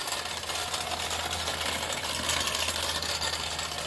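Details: Mamod steam traction engine, stored under the stairs for over 40 years, cleaned up and running: fast, light, even chuffing and rattling with no low rumble; the small oscillating steam engine runs smoothly.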